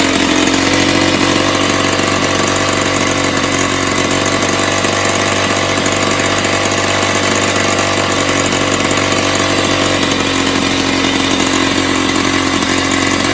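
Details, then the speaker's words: 1970s Puch Maxi E50 50cc two-stroke moped engine bench-started after earlier failed attempts: steady buzzy tickover with an even beat and no misses, a healthy idle, though the carb was leaking a little and needs cleaning and tuning. "so yeah result um it's a runner um the card was leaking a little bit"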